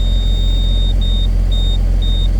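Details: Case STX375 articulated tractor, running after programming a new transmission control module for a transmission fault: low, even rumble, no knocks or misses, a high beep chiming intermittently; normal idle.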